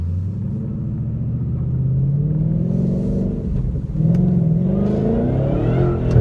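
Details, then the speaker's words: 2013 Roush Stage 3 Mustang, supercharger pulley swapped from stock 85mm to 82mm, third-gear pull: clear whine climbing in pitch with revs over the V8 rumble; healthy, louder blower whine after pulley swap. "it's just you can really hear that thing spinning well now love it love it love it"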